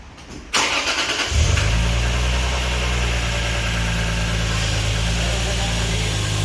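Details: Lexus IS300 2JZ-GE VVTi, first start after installing an HPS Performance short-ram cold air intake: short crank, catches cleanly and settles into a smooth, steady idle with an even low drone; engine runs healthy.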